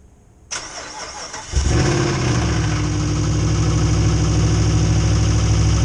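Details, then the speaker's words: Truck not started in about a year, first start: engine catches, then a light, fairly regular knock at roughly three per second over the idle, which fades soon after; engine knock at startup. "But anyway, you guys heard how it started knocking in the beginning."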